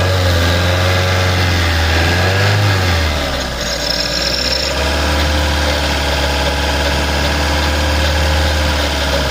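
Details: Seat 1.4 TSI petrol engine at idle: thin squeal over a loose rattle with a faint knock underneath, clearly coming from the rear area of the engine; exact source unknown.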